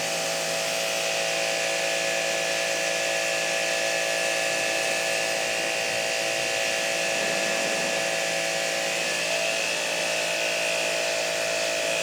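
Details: Hanabi JBD 8003 induction-motor pressure washer, 127V/110V, cleaning surfaces under load with a 15-degree nozzle: steady, even motor drone with strong hissing spray held constant; very powerful, normal operation.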